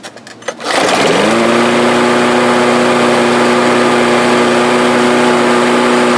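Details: Briggs and Stratton lawnmower that started then stalled, after the carburetor bowl jet was cleared with a wire and carb cleaner: pulls into life after a second, then settles to a steady, even drone with no surging or hunting. Normal running.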